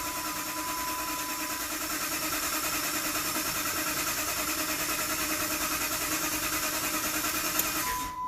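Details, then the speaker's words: 2007 Dodge Ram 1500 5.7L Hemi with a crank-no-start fault, cranked with a new Duralast sensor installed giving a square wave; continuous even starter churn, about three beats per second, never catching. "we got a square wave that noise is from the starter but let's go ahead and read codes now"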